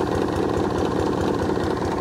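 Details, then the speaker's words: Hayter 48 mower (same as 41/56), not run this year, petrol possibly leaking into the crankcase: at full throttle the single-cylinder engine only putters at an even low idle and won't rev; governor spring is missing. "But at the moment, if I pull the cord, this is on full throttle. And as you can hear, all the engine is doing is just idling. That's it, it won't do anything else other than that."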